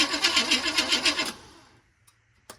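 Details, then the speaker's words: 1980 Chevy K30 small-block 350 with carburetor, choke not hooked up, after a relocated new starter solenoid was installed: rhythmic cranking catches for about a second, then dies; it is still pulling fuel, with the cause unknown. "Go again. Did it die? Yeah, well, it's still pulling fuel."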